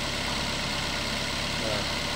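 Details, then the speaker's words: Toyota Avanza 1.5 Veloz, just started, at about 1000 rpm: idle steady but with a low shaky vibration. The idle control valve was heavily carboned and never serviced; fix is cleaning the ISC, throttle body, spark plugs and injectors. "inilah menyebabkan RPM yang tidak stabil ya tapi tidak naik turun tapi dia e goyang-goyang gre seperti itu inilah penyebabnya sangat kotor sekali di bagian yc-nya"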